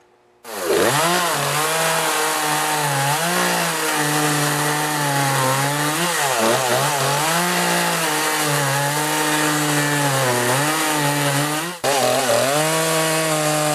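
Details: Poulan 3818 38cc chainsaw with an 18-inch bar, cutting logs after a carburetor adjustment to fix bogging: strong, steady high howl through the cut, dipping only slightly under load; running cleanly with good power.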